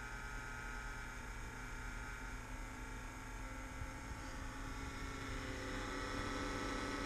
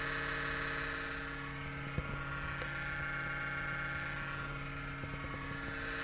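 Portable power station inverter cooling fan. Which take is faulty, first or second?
second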